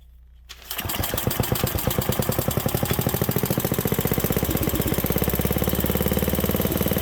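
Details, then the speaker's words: 1967 Briggs and Stratton 6 HP single cylinder: fires right after the pull and settles into a steady, even chug with no misses; running well, though it later died when idle was backed off. "thank you that sounds pretty good did we run it out of fuel"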